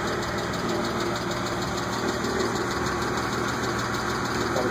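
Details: BMW E36 M3 at steady idle: a light, fast lifter tick about three per second, faint but present.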